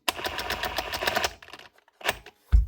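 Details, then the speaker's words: DeWalt DCH273 SDS drill, customer complains of no modes or drilling. Motor and switch work, but fast rattling hammer blows stutter, catch and stall in hammer-drill mode: hammer mechanism jamming from dry, dirty grease. "It's just something wrong inside the gearbox. As you can hear that trying to hammer."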